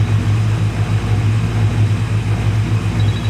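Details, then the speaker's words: LS1 V8 on its first start after a camshaft swap, cooling system not yet fitted: a steady, deep, even idle with no knocks or ticks, sitting a little high and needing adjustment. Oil pressure is about 60 psi and fuel pressure 63–64 psi; it is running normally. "that sounds really good of course I'm getting a phone call from a freaking spammer idle's a little high I might have to go back there and adjust that but it sounds great phenomenal oil pressure I'm like 60 right now"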